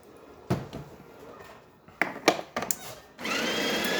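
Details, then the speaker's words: DeLonghi Specialista espresso machine after grinder replacement: after some clatter, new grinder spins up to a steady, even high whirr with no knocking or labouring, grinding beans normally. "as you can hear grinder is definitely grinding this right here"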